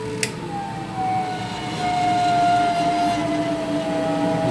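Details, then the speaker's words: Wall-mounted gas boiler in heating mode, switched to the lowest (first) circulation pump speed: a loud steady whistling roar with drifting tones appears from the new heat exchanger as low flow lets it boil; the noise disappears at second and third pump speeds. "соответственно появление этого звука это звука звук теплообменника теплообменника новый поэтому эти звуки"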